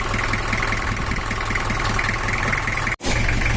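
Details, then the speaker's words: Toyota Kijang LGX 2L diesel after camshaft replacement, other parts and adjustments: a steady idle with a light, even, slightly crackly clatter and no heavy knocks. It is smoother at higher rpm. Normal diesel idle after repair. "penyetelannya udah selesai dan ini adalah suaranya dan hasilnya kalo untuk Toyota tipe 2m ini Manuel Nur Teruntuk langsamnya itu bunyi kemresek tapi kalau untuk giga RPM agak tinggi suaranya halus"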